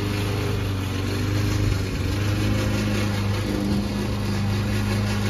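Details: Old Toro Recycler mower cutting Kentucky bluegrass, binaural recording: a steady engine under a clattering, mechanical drive-system rattle that is not combustion noise. The racket was later solved with WD40.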